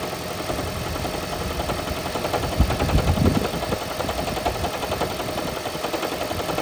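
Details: 2012 Toyota Prius on startup: loud rough rumble with uneven loose rattle that then goes away; blown head gasket, noise gone after head gasket repair.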